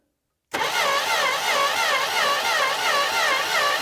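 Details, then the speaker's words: Monaco barn-find V8, sitting long, checked for stuck valves: starter turns it at an even rhythmic chug about three beats a second; all valves moving, engine spins freely, not seized. "okay yep they're all moving so no stuck valves and as you can see cranker one more time yeah good as you can see nothing is seized"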